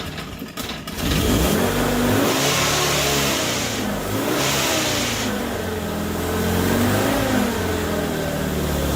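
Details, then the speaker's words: Morris Minor 1000 van with newly fitted Judson supercharger and single-barrel carburetor, first start: engine runs up and settles with a loose metallic rattle over a hissy sucking intake rasp; rattly supercharger, carburetor gulping air. "well that's a whole new cacophony of sounds wow that i have never heard before but i've been told that this thing was gonna be noisy and it is it's very rattly and you can also hear that poor little one barrel carburetor sucking air like crazy"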